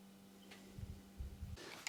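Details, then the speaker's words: Bicycle seatpost seized by bad galvanic corrosion being forced out with a custom shaft-extractor jig, a bar through the post and collars pushing against the frame, sped up from a 2-minute process; irregular low creaks and groans build to a sharp crack. "just to finish off, we can see that this particular post has got some quite bad galvanic corrosion, and that's the reason why it took quite a lot of force to get it out of this"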